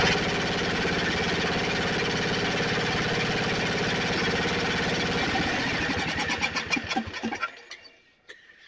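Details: Snapper 28" riding mower, 12.5 hp Briggs & Stratton single-cylinder, hard-starting: runs at steady even beat several seconds then winds down cleanly at shutoff, no misses. Owner tracing shorted wire causing shutoff; not key switch, seat switch disconnected, possibly defective.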